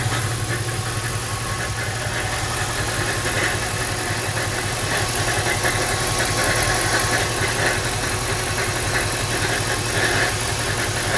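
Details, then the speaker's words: Lincoln LS V8 idling with an uneven light rattle, roughly two knocks a second and not in strict time; owner suspects timing chain tensioner or coil packs, the bottom end is also suspected; unconfirmed. "What's this sound coming from my LS? V8. Sounds like a timing chain tensioner or something. Pop the hood so you can hear too. Doesn't sound good though."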